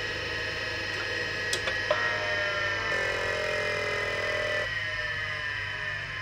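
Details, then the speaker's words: Seagate ST-251 hard drive in a Wyse Technology 286 2112-40 under repair, test spin-up: steady whirring whine with a few sharp clicks early, then the tone climbs and settles, a normal old-drive spin-up. "the seagate st 251 mlc one might as well give the old hard drive a bit of a start-up while I've got it all hooked up just so you can have a listen beautiful noises"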